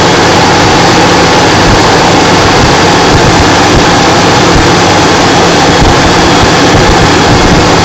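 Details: Toyota T100 on a cold morning start, happening every morning: loud steady idle with a constant raspy whir over the engine; odd noise, source not pinned down.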